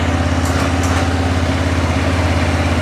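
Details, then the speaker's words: 2006 Arctic Cat 400 ATV after a flywheel rotor replacement for no spark, left running a few minutes. The idle settles back down to an even single-cylinder thump, about two and a half beats a second, with no misfires or rattles. The motor sounds good. "well off cool now starting to idle back down a little bit there we go motor sounds good everything sounds really"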